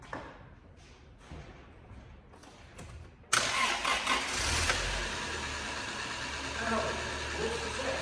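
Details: 1999 Toyota Celica 1.8 SR left in a garage 7.5 years, after freeing a jammed throttle butterfly: quiet handling noises, then engine catches at once and settles into a steady, somewhat rough idle; starts and runs.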